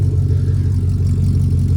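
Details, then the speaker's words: Chevrolet V8 with a stock cam and no catalytic converter, just started after fixing a security/VATS no-start in the steering column: loud but steady, even low rumble with no lope or misses, a normal smooth idle. "it would sound a lot better with the little old cam in it something that had a little Rumble to it or a little bump to it but you know for what it is it sounds [Music] okay"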